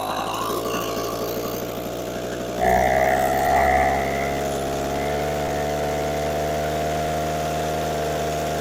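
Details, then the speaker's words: Echo PB413H two-stroke backpack blower with new aftermarket carburetor, first start at mid throttle with choke on and primer primed: starts and settles into a steady, even buzz after a throttle blip; runs cleanly. "here we go oh just oh wait a minute that sounds promising give it half let's see"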